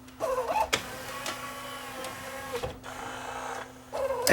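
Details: Yamaha CDC-645 five-disc CD player after refitting the tray locks: light motor whir, short plastic clicks and a clack as the drawer seats and locks; tray drive working normally.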